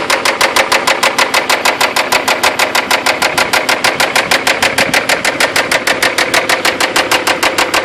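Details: 3G Toyota 4Runner idling with loud, sharp, evenly spaced knocks about three per second from inside the engine; owner suspects internal damage from over-revving while stuck nearly sideways in mud, possibly after losing oil pressure.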